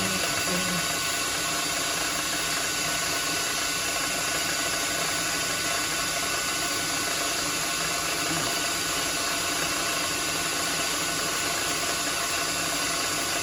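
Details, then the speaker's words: Lathe turning 8mm solid brass rod down to about 7mm for M7x1.0 threaded shelf pegs; steady even cutting hiss and hum with no rattling or squealing; clean cut, no chatter. "i think we have a short light out it's not really any chatter see behind the top turn this off"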